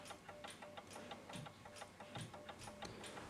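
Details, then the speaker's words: c1910 Gustav Becker Silesia wall clock, Amerikaner P48 movement, oiled but still dirty and uncleaned: rapid uneven light ticks about three a second because the pendulum is removed, escapement racing. "Ticking really fast cuz there's no pendulum on it."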